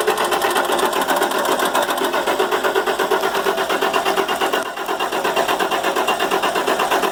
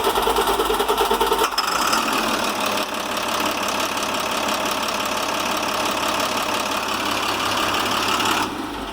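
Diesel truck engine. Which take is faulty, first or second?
first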